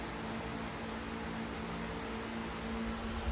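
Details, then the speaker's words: Solar-powered 65 W 12 V fan in a horse run, fed by two panels and an 18 Ah battery at 13.4 V, cloudy: a steady, unbroken low hum and even whir; the second panel stopped it cutting in and out. "Amazon running consistent very consistent"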